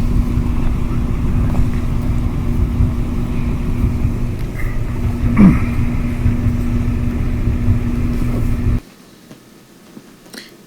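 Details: Kenmore gas dryer after replacing drum support wheels: smooth even drum rumble, steady low tone, no clicking or thumping; previously loud clickety noise now gone, runs like new.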